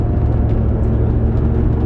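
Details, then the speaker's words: Ford 8.8 solid rear axle in a big-turbo LS6 650whp Volvo sleeper after a DIY re-gear: low steady howl over road rumble whenever the throttle comes off, from poorly set ring-and-pinion gear mesh, differential whine on deceleration. "oh god oh god that noise is not good well if you're wondering if gear mesh matters i can confirm it does"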